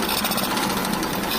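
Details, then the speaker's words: Kawasaki Blitz motorcycle bought cheap, rough noise and white smoke, had run out of oil: harsh rapid metallic clatter knocking throughout on the engine beat; worn piston and connecting rod. "jadi hal seperti ini katanya suaranya seperti kapal pecah stres kali"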